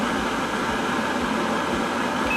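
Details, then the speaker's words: Ozone deodorizing boot dryer running in heat mode, air passing through heating coils and reading about 72 degrees; a steady, even rush of air from a small blower with no rattles or wavering, normal operation. "now if you turn heat on what it's going to do it's going to take the incoming air it's going to run it through a series of coils to heat the air up and now the air coming out of here is heated"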